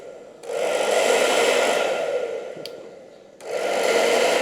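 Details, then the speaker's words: Hair dryer after repair, having earlier lacked speed, heated weakly and smelled: a steady airy whoosh and even motor whir, stopping and restarting cleanly on every setting combination; normal operation. "berfungsi di setiap kombinasi, tidak ada masalah Perangkat kita sudah selesai, sudah siap."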